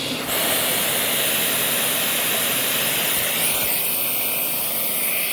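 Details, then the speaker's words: Shark NV752 vacuum, trash-found, during airflow/water-lift test, lower duct hose replaced: loud, steady, high rushing hiss of the motor pulling against a sealed inlet with no relief flutter; suction relief valve still stuck, not opening despite an earlier fix. "it sounds like the uh suction relief in the machine wasn't activating again i know it was stuck and i thought i had fixed that but i guess it's still it's still stuck"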